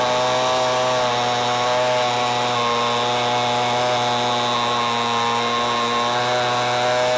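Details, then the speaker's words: Homelite MightyLite 26b two-stroke leaf blower right after carburetor rebuild, started at full: steady strained buzzing that never clears up, sounds like bogging; carburetor adjustment screws to be tuned. "now the one thing I don't know if anybody can hear it but it sounded like it was bogging down"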